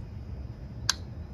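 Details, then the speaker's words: Transmission valve body shift solenoid two switched on and off in bench test mode. One clean, sharp click against a quiet room: the shift solenoid is actuating properly. "Ready? Let's go on. Here we go. You can hear it clicking. Good, let's do the next one."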